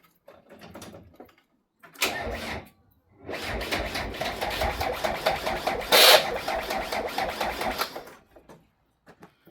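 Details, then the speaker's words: British classic TDI diesel that sat about 5 years in an exposed barn, fuel pump disconnected: steady rhythmic cranking on the starter without firing, done only to build oil pressure. The cranking speed picks up partway, which the owner says indicates the oil is now circulating. "So, I've disconnected the 12 feet of the pump, so remember this is literally just to build up oil pressure and just to get the oil circulating round so that when it does start up, it's less liable to cause damage, basically."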